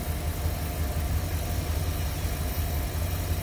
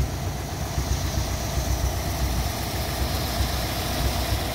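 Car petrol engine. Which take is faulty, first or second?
second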